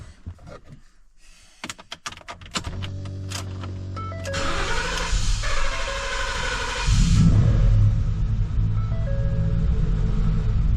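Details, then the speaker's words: 2014 Ford F150 with ongoing misfire, after swapping seven original Motorcraft coils back in: wouldn't crank until throttle pressed, then catches with a blip into lumpy uneven idle; hard start, misfire suspected unfixed. "right so I had to give it gas for it even crank it wasn't cranking until I hit the gas"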